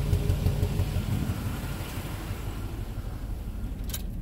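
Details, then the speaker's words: 1997 work truck idling with no codes, checked on an ignition lab scope: low, lumpy idle with an uneven stumble about three times a second; cylinder two misfiring and running lean because its injector pulses but delivers no fuel. "I feel like I have a problem with cylinder two start here I think so I don't electrocute myself it's missing pretty terribly"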